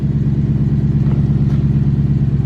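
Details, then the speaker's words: BMW E92 M3 S65 V8 in limp mode from failed throttle actuators, awaiting replacement: lumpy pulsing idle surging and dipping around eight times a second; car has been sitting stopped due to this fault. "all that stuff yeah that's why the car has been stopped and you guys hear that too so the car is in limb mode um my throttle actuators went bad"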